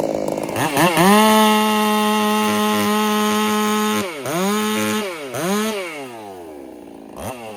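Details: Ported Husqvarna 385 chainsaw during break-in, high-speed mixture left slightly rich to play safe: a steady high scream with just a hint of burble at the top.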